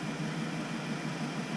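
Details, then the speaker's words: V8 idling with an uneven, loping beat after cylinder five is deliberately killed with a scan tool during misfire testing; the engine dies down, running rough with one cylinder not firing. "I'm just going to kill number let's kill number five monitor start test start you can hear the motor die down"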